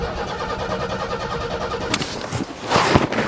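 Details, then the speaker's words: Car not started since April, cold snowy December start: steady rapid cranking with no firing, then a few clunks, because the coil wire was left disconnected; it starts once the wire is refitted. "put the coil wire back on I forgot take two put the coil wire back on oh wow it could have started like that the first time I bet"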